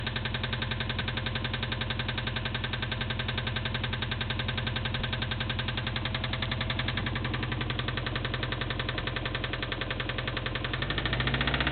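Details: 2002 Subaru Impreza WRX boxer engine idling and blipped: deep, steady rod knock growing louder with revs, from oil starvation on Mobil 1 5W-30; short block later replaced with an EJ257 and new oil pump.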